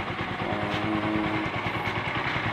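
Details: Kawasaki Bajaj Rouser LS135 idling after cam chain tensioner repair (cover refitted, 8mm bolt): even single-cylinder idle, soft putter, no chain rattle; running normally.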